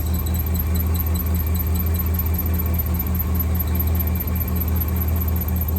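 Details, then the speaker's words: 1963 AMC Rambler wagon 287 V8 running cold about 5 minutes, driven ~100 miles with the fault: high thin squeal pulsing with valvetrain; left-bank rocker shaft oil-starved after bolt mix-up during valve stem seals, dry rockers, metal flakes. "So that means metal on metal, folks. We don't have any oil coming up in there lubricating that."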